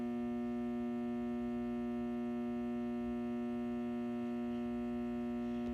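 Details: Satco 150W high-pressure sodium ED17 bulb, made April 2013 and 6.5 years old, runs on an S55 magnetic ballast. A loud, steady low buzz with rich overtones never wavers while the cycling lamp burns; the ballast hums loudly.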